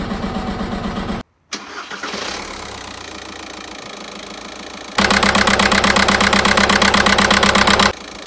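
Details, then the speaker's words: VW 1.9 TDI 105 hp diesel after replacing the injector wiring harness: engine starts and settles into a steady, even idle rattle with regular firing pulses and no misfire, running on all four cylinders again. "Donc j'ai remplacé le faisceau et là le moteur s'est remis à tourner sur 4 cylindres."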